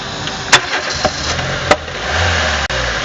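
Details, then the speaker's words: 2000 Renault Laguna 1.6 L petrol with intake popping, vacuum gauge fitted on intake manifold: engine catches after several cranks, then idles unevenly with pops and dips; hard start and unstable idle. "Alors vu le régime instable, on va avoir du mal à maintenir une vraie dépression, une bonne dépression, mais on va surtout voir l'allure de l'aiguille quand on va voir le souci."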